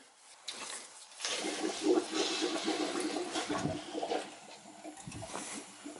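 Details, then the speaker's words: Oil-fired hydronic heating system with no heat, bad power venter motor and expansion tank, pressure at 30 psi instead of 15: irregular sputtering and gurgling at the valve as trapped air is purged from the heating zone. "Can hear the air. It's all air coming out."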